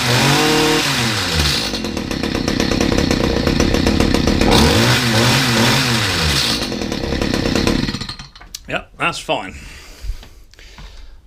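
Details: Stihl HS45 two-stroke hedge trimmer, hard to start and due a service, primed and choked then started: revs up and settles with crisp steady firing, no misses; hard starting likely from a loose, half-out spark plug.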